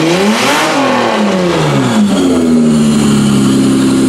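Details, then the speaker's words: 1992-1996 Toyota Camry V6 running on a homemade standalone harness, terminals just tightened, air intake fitted, no key, in drive: note swings cleanly up and down with throttle and settles smoothly, no knocks or rattles; healthy revving. "That thing sounds really healthy. Well, guess what? It runs!"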